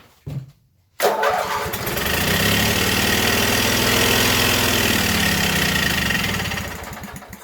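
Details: Coleman Powermate 7000 generator, 18 HP twin L-head, 3600 rpm, non-runner with fuel filter fitted and carb hooked back up, on choke with gas poured down carb: brief crank, catches, runs rough a few seconds then dies; owner thinks not yet primed.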